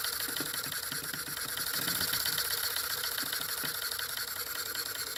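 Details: Ertl John Deere Waterloo Boy live steam engine after the fan rebuild (brass hub, 3/16 x 3/8 in ball bearing, spring belt, slight rub): quick light chuffing about four beats a second under a bright airy whirr. Engine and fan run smoothly.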